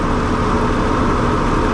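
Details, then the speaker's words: Oliver 7300 combine after variable speed thrust bearing replacement, run up to full speed; smooth constant engine drone with no knocking, squeal or grinding, quieter in the cab than before; normal running. "Quieter because I can't hear it from the cab like I used to be able to. Let's got her up to full speed."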